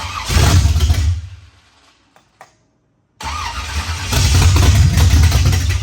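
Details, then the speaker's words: 1974 Camaro with roughly 450 hp V8 build, first start after timing adjustment: loud rough top-end clatter as engine fires, cuts out and restarts; later traced to the 1.6 rocker arms. "the motor fires up loud loud clattering noise we're sitting here pooping our pants because we didn't know what that was"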